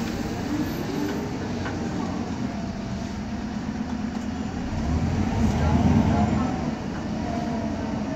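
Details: 2010 MAN Lion's Classic CNG city bus, MAN 2876 engine, 290 hp, ZF Ecomat 6HP504C gearbox, cruising: steady low droning hum over road rumble, rising slightly with speed; noisy differential suspected, not confirmed.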